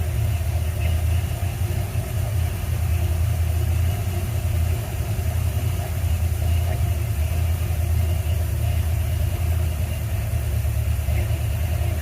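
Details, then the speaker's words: 1977 Ford F100 with 351M V8, sat over a year, idling smoothly right after replacing a bad 2-barrel carburetor; low even rumble without misses or knocks, though fuel leaks from the accelerator pump and the valve cover leaks; normal idle. "all right well good news is we got it running sounds like it's idling okay"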